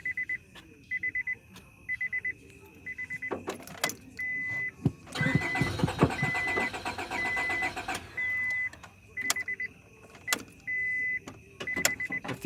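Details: 1998 Honda Accord after spark plug change, fuel present: chime, then about three seconds of steady starter cranking that never fires; cranks but won't start.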